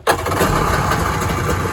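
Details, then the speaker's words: Kawasaki ZXI 1100 two-stroke jet ski in very good condition: a short crank, then it catches instantly into an even, steady run with no misfires. No oil or warning lights come on. "fires right up, idle."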